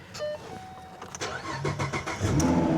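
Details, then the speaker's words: Repossessed Copart vehicle, automatic, 163,820 miles: a quick crank catches at once and settles into a steady, even idle with no knocks, misses or squeals; it starts right up and runs great. "right up, runs great."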